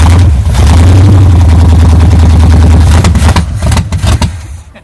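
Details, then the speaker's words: 1978 Chevy K10 truck sat 27 years, first start on poured fuel with a strong oil mixture: deep, rough, loud rumbling firing for about three seconds, then it stumbles and dies; engine starts and runs only briefly. "let's get okay fire in a hole she's a runner okay do it again"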